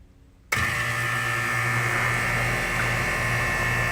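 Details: York AC condenser unit after run capacitor replacement (had been buzzing and cycling in and out): power restored, it kicks on at half a second into a steady, even hum with smooth fan rush, no buzzing or stalling; running normally.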